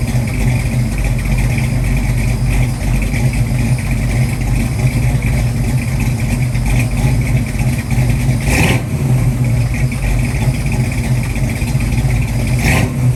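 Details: 1966 Mustang 289 built to a 331 stroker with hydraulic roller cam, first startup and tune-up, timing set at 10 degrees rising to 40 with mechanical advance; deep even V8 rumble at steady idle with brief throttle blips; normal idle and revving.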